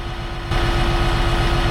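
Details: Bat wing brush cutter with its gearbox just reinstalled after the old one broke with metal chunks inside: heavy, low engine drone with a steady mid-pitched whine from the cutter drive, smooth with no knocks; normal running.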